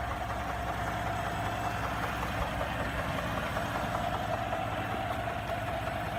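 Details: 2017 Ford F-150 EcoBoost petrol V6 at idle: faint, uneven knock repeating two or three times a second, very distinct within a few minutes of a cold start and within a minute of a warm start.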